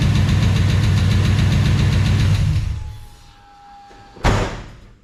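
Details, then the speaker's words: New big block V8 after head stud sealing work with rockers removed and refitted: rough idle with a steady fast tapping, three to four ticks a second; owner suspects a lifter tapping from a misadjusted rocker, not confirmed. "Well, it's got a lifter tapping real bad now. I thought I had to pull some of the rockers off, and I thought one of them didn't really adjust right, so I'll get to run the valves again."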